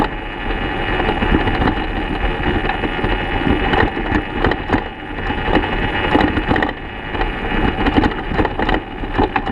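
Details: 2014 BMW F800GS Adventure coasting downhill off road with engine off: irregular dull clunks through the chassis, traced to damaged, loose steering head bearings (likely never properly tightened from factory); new bearings made it quiet.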